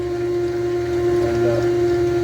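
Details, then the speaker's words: Electric fuel pump priming on a carbureted car's new return-style fuel system (built to prevent vapor lock), carburetor line plugged for the test: steady, quiet, even hum with no rattle or surging, building about six psi with no leaks; normal priming. "I'm actually pretty quiet yeah I won't sound like a fish aquarium"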